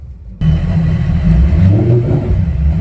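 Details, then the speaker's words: Mercury outboard on a new Boston Whaler 280 with sport exhaust on: catches and settles into a deep, throaty, even rumble, no knocks or misses; sport exhaust fine, only missing exhaust pieces, joystick faulty. "Definitely throatier sounding for sure."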